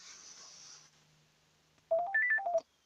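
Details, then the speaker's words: Nissan Tiida sedan, key turned in ignition: quick run of bright phone-like electronic tones under a second in a quiet cabin; normal ignition chime, absent when the blue 15 A engine-bay fuse is blown. "miren este les voy a mostrar cuál es el sonido que se escucha cuando acciona en el switch escúchenlo"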